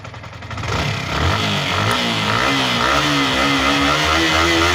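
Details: Yamaha R15 V3 single-cylinder bike revved from idle and held high; even, clean rise in pitch with no ticking over it, so it runs normally.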